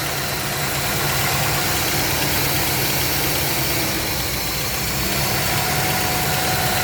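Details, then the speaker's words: 1977 Pontiac Trans Am V8 idling cold on choke after several vacuum leaks fixed: steady, even rumble with no stumble or hiss, idling far better than before. Normal cold idle. "foreign just by fixing I don't know four or five vacuum leaks at probably like six or seven you can hear that the car is idling way better than it was way better"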